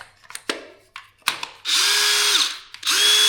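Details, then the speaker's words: DeWalt DCD778 cordless drill, an old unit from a lot of three, after repair: the screws are back in and the drill runs on a battery test. A few handling clicks, then two clean bursts of motor whine spin up, hold a steady pitch and wind down evenly. It runs healthy. "Nothing wrong with that. That is a a 4040 fix for a a nearly 150 year old drill."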